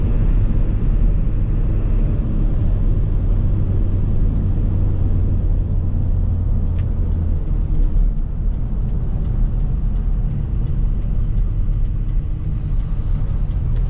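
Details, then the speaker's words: Ford Excursion diesel on a 12-degree morning, stopped and turning: low steady groan under the diesel rumble that fades as the truck moves off; owner says it will need a power steering box, cause not confirmed. "this guy's gonna need a power steering box because when you're stopped it is not happy"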